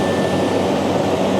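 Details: Steady hollow rush of air with a thin whistle on top and no pulsing from a waste-oil transfer pump filling a 250-gallon storage tank; the pump is sucking air because the barrel is empty.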